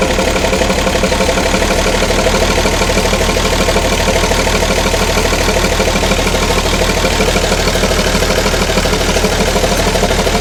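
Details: Ex-army International ACCO 6x6 with a Perkins 6354 six-cylinder diesel, idling after the fuel system was bled: deep, steady clatter at an even idle with no misses or hunting. Running nicely.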